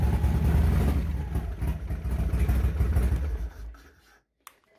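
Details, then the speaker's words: Revtech 100 cubic inch V-twin, slightly cold and sat for a couple of weeks, cranks with a heavy, labored low thumping around three per second that drags then fades: a slow cranking start. Starts are helped by compression releases and a good battery. "that was actually a slow start but it's not fully warmed up yet and been sitting for a couple weeks"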